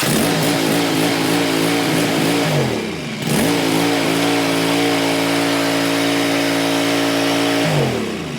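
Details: Cub Cadet XT1 mower single-cylinder engine after tune-up (air filter, fuel filter, oil and filter, spark plugs), run about two minutes to check for leaks: even, steady drone with a brief rev dip, then smooth; normal idle.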